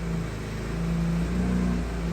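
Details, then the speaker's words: Vespa scooter just restarted after winter storage, off choke: small single-cylinder engine drops to a steady, low, even putter with no hunting or misfires; normal idle, now safe to shut off without flooding the plug. "It's going down, and now we have a nice steady idle. So now it's safe to shut it off."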